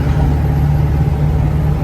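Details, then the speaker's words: Ford 7.3 Powerstroke diesel truck after a KC300X Gen 3 stage 1 turbo, Riffraff up-pipes, deleted pedestal and boost fooler, pulling hard uphill under load: a deep, even, quieter drone with no up-pipe ticking or puffing and no black smoke; healthy. "There's no more uppipe ticking or anything like that. It's just straight old power like raw."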